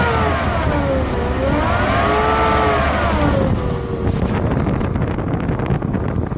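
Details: Lexus LS400 engine running: clear whine rising and falling with revs, very audible in the cabin; owner suspects the alternator, maybe bad diodes, source unconfirmed.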